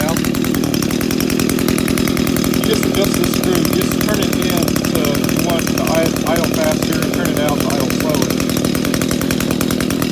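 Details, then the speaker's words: Echo GT 200R two-stroke trimmer after replacing its carburetor with a Zama RB-K70A, idle adjusted up: high, steady buzz that holds speed cleanly with no bogging or stumbling; healthy carburetion and good throttle response. "Got good throttle response."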